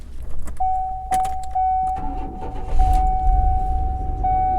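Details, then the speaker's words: Surplus government auction van started at inspection. A chime tone, then the engine catches and settles into a low, even rumble and revs, no knock heard; the ABS and parking brake warning lights are on. It runs. "You know, it runs. She revs."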